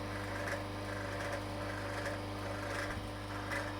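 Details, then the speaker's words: Vevor vacuum pump on a home-made vacuum fruit dryer, second attempt, at deep vacuum: steady motor hum with loose uneven rattle about every 0.75 s, possibly vanes chattering, unconfirmed; motor running unreasonably hot but not burned out. "vacuum so that's rattling again so I don't know what to take from that um the motor is still unreasonably hot for a motor but it hasn't burned itself up so I don't know"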